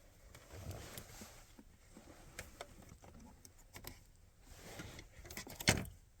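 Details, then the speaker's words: 2022 Chevy Colorado ignition lock solenoid with a normally closed switch added on its power feed to cure an intermittently stuck key, connector plugged back in: quiet handling noise, then one sharp click as the solenoid engages normally. "Hear it click."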